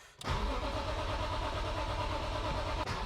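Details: BMW E46 M3, after fuel tank cleaned and refilled with new fuel plus new coil packs and spark plugs, half a tank of fuel: steady starter churn that keeps turning over without catching or firing; crank-no-start, cause still unknown.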